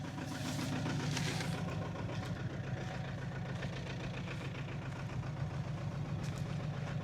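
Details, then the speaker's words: Audi A4 2.0 TDI diesel after a turbo replacement, with injectors purged and cleaned. It revs and drives with power but smokes, and the idle stumbles unevenly at about three to four beats a second. It still misfires at idle, cause unknown. "But now it's building up revs and driving, and it seems to have power and everything, but on idle it's still misfiring like hell."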